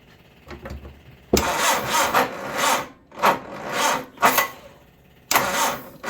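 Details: 1978 MG Midget 1.5 with side-draft carbs, 4-speed manual, sat neglected for years; battery shows plenty of charge but sluggish, labored cranking in uneven surges before it catches; owner suspects a weak starter.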